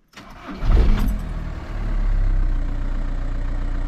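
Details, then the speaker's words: VW Touran after DIY oil change with 5W30 and new filter, hood open: short crank catches cleanly about one second, settles into steady even idle; starts better than before, when it used to shudder. "Déjà elle démarre mieux qu'avant, parce qu'avant elle broutait. Là elle démarre mieux."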